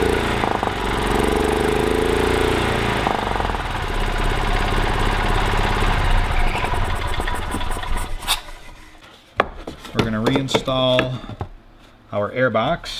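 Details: 1985 Club Car DS gas golf cart, after a cleaned carburetor fixed a crank/no-start; the small single-cylinder engine catches and runs steadily for several seconds with no misses before shutting off.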